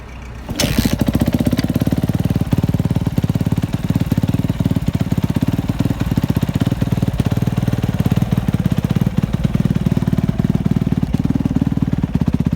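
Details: 2005 Kawasaki KXF 250, previously hard to start and losing coolant, after valve clearances set, piston and timing chain replaced ~20–30 hours ago, spark confirmed: fires after a brief pause into a crisp, even single-cylinder beat, no misses or knocks.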